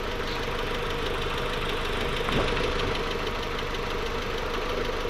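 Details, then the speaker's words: Freshly rebuilt Mark IV engine, first startup warming up with new oil: even idle hum with light steady valvetrain patter and one brief louder blip, lots of smoke; secondary air injection ran briefly and quietly, old loud hissing gone; sounds great. "a lot of smoke wow that sounds great the secondary air injection kicked on and didn't stay on for very long and it was quiet really didn't hear any hissing noises before used to be really loud"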